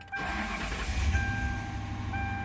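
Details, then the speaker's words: 2004 Ford Crown Victoria Police Interceptor, newly bought, with a squeak under the hood: short crank then slightly uneven lumpy idle; rough start, cause not yet known. "start a little rough but uh so let's see"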